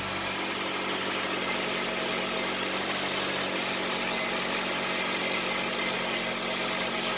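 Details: Honda CR-V idling just after an engine reseal with timing checked and valve lash rechecked: smooth, even idle with no ticking from the top end. The former tapping is gone; the engine sounds quiet and healthy.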